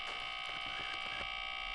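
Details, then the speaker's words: 1987 Ikegami TM14-16R CRT color monitor, outer shell off, first power-on before cap kit: steady high-pitched whine with fixed tones from a large transformer in the power supply; cause suspected, not confirmed. Transformer whine. "I'm gonna turn this monitor on now and try to listen to this transformer that sounds coming from that large"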